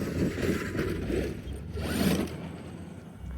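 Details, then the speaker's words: 8S Traxxas X-Maxx RC truck with Hobbywing Max 5 1100KV motor and upgraded diffs, driven under power: irregular ratcheting clicks in bursts from differential gears slipping; diff later found cooked. "I'm not sure if these diffs are clicking. Ah, they're clicking a little bit. We might be going through a lot of diffs today."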